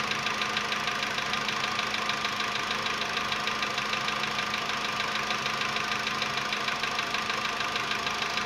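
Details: VW Polo Sedan CFNA engine, 105,000 km, cold start at 20 °C after sitting about 15 hours, before decarbonizing: sharp regular light knocking about two per second over cold idle, fading within a minute; cold-start piston knock.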